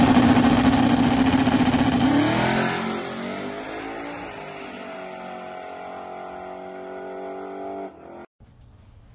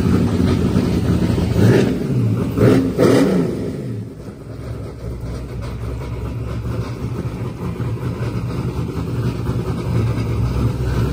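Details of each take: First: Silver Z06 with six-point cage, stock suspension and tailpipes dumped at the diff, on its first full pass in eight months: a hard pull climbing smoothly through the revs, then backing off and fading; clean full power, normal. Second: LS-powered Corvette Z06 on a Holley ECU during a boosted run: revs climb hard through the early gears, then stop rising in high gear as the Holley boost safety cuts in and reverts to wastegate pressure. Boost safety power cut in high gear.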